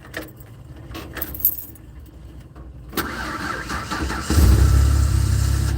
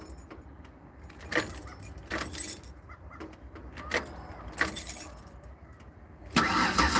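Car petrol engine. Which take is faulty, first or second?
second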